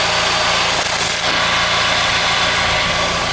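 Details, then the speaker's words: 2012 Nissan Juke turbo with a rebuilt CVT, which developed an axle-type noise after 500–600 miles; heard from underneath at a smooth, steady idle with a constant hiss and no knocks or whine; quiet and no leaks; normal idle. "other than that the vehicle runs really good I mean it's quiet you can hear it I don't have any leaks or anything"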